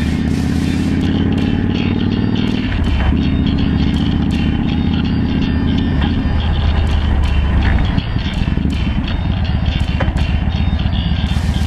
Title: Ducati 1098S Rattling noise problem